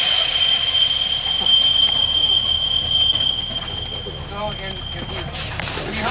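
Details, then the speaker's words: Master retarder at Galesburg railroad hump yard, computer-controlled brake slowing each rolling car, sound barriers removed after February replacement, louder when dry and rusty: piercing high steady squeal with fainter whistle, fading near end; normal retarder braking. "So it can make a really nasty noise. You get a load going there, especially when it's been dry for a while and there's some rust involved."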